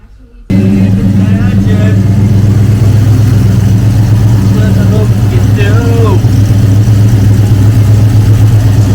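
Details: 1971 Ford Torino GT small-block V8, after a no-start fix for a bad starter solenoid connection: fires abruptly and settles straight into a steady, even low rumble with no misfires or knocks.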